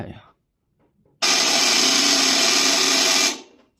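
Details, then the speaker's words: 2-horsepower floor-standing air conditioner, outdoor unit's seized compressor fed 220 V directly on terminals 1 and 2 with its original good 40 µF capacitor: harsh loud buzzing roar for about two seconds, then cuts off without starting. "压缩机压根就启动不了啊"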